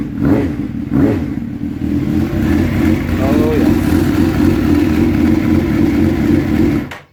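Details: Suzuki GSX-R750 SRAD, stored since September and not starting, after the fix: engine catches cleanly, revs up and settles into an even, steady drone, running normally.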